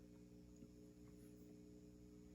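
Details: 1959 Kay 703-C tube guitar amp, bought broken, tubes warmed up with volume turned up: low steady mains hum with even overtones and no crackling; normal idle hum, though the chassis measures 123 V AC.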